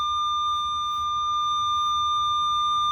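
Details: Minelab Equinox 800 in pinpoint mode: a steady, unbroken high-pitched tone. The graph has come together, so the target is at the centre of the coil; this is a normal pinpoint response.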